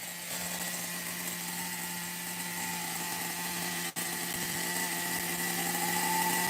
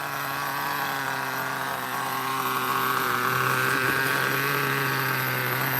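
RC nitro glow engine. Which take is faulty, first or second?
first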